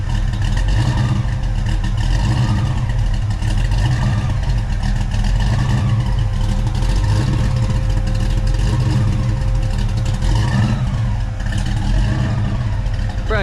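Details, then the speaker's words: Ford Foxbody V8 just fitted with an ATM carburetor, first startup via remote starter: deep burble idling a bit low with a gentle rise and fall every couple of seconds; idle probably needs raising slightly, mild surge considered typical for this setup. "Probably take the idle up a little bit, surge it a little bit, but it's kind of typical for this setup."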